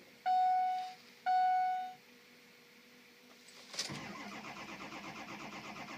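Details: 6.0 diesel truck after sitting outside 48 hours, tuner still installed: two warning chimes, short crank catching abruptly into an uneven, pulsing idle; hard start and stumbling.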